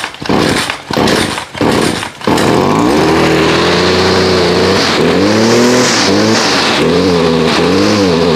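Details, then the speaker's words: FS56 trimmer, cold start around 30°F after months unused on ethanol-free fuel without stabilizer, choked and primed three to four times: after a few pulls settles into a slow, slightly uneven burble; idle a touch low but holds, passed. "okay sounds like the idol just might be low just a little bit but that is fine it has passed"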